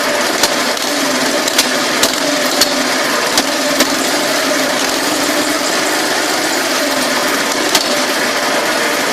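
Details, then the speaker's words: Go kart, Custom Model 1, before installing pod filter, carb jet and exhaust (stock setup): small engine buzzing at steady fast speed with an even beat and a few stray clicks; runs smoothly and healthily. "I'll give it a start up and I'll show you what it sounds like when she's got fired up before, and we'll do one for an after."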